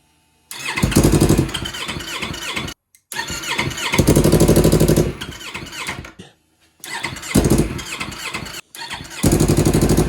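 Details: 2015 Yamaha R3 engine in a shifter kart build: the starter drags it over in bursts at about three labored turns a second, never catching; owners suspect a weak battery, possibly no fuel injection; wires and gas checked.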